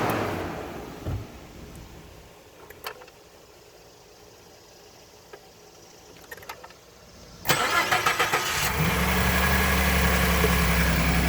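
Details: 2013 Ford F-150 EcoBoost engine, cold start: several seconds of quiet, then cranks and catches with a harsh, busy clatter into a fast cold idle; noise occurs only on cold start.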